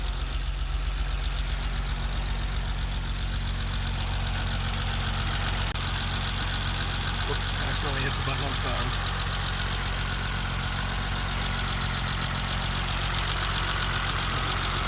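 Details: 1988 BMW 325 sedan after a cold start, idling while the temperature gauge rises, microphone moved near the injectors. Fast, light injector ticking at about 2.5 per second over a steady hum; idles normally.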